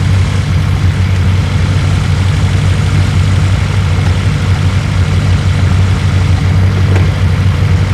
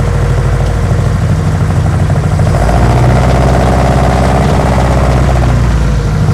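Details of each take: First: 1972 BMW 2002 with a start-and-run issue, warm after about five minutes, charging around 12-13 V: a steady, even low rumble with no misses or stumbles. A healthy warm idle. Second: 1972 BMW 2002, semi-cold start, previous shop repair reportedly made it worse: wouldn't re-fire, then low, uneven, lumpy stumbling idle that shifts partway; rough running when cold, cause not yet known.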